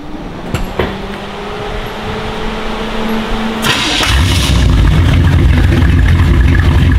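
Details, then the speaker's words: Datsun with a 350 Chevy small-block V8 and HEI distributor, after replacing the ignition coil for hot no-ignition and launch stumble: a click, then it fires almost instantly without the usual cranking and settles into a steady deep idle. "Just pushed the button and it went click right there. Because normally it cranks a little bit. Nigel went right to the start."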